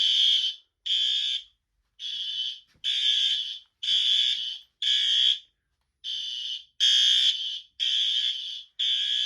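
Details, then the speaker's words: Fire alarm system in a shed, with the smoke detector triggered with a nail for the system test: a high, shrill tone in about half-second bursts with short gaps. Everything works properly. "Alright, well, that's basically it. Everything works. I was just using a nail to test the smoke detector."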